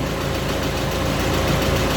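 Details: Audi TT Mk1 1.8T quattro 225bhp 6-speed manual after repair of an idle rattle up to about 2300 rpm; steady even idle hum, no rattle or tapping; normal idle.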